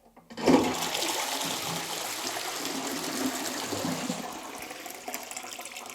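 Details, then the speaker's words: Caroma Stylus dual-flush cistern: after the much-used half-flush button is pressed, water keeps pouring because the button doesn't pop back up; jiggling it stops the flow. Continuous running from a worn top flush mechanism needing replacement. "you see it's continuously running cuz it's not popping back up. And then if I jiggle it, it stops. And that usually means the mechanism in there is worn and you need to replace this top section of the flush mechanism."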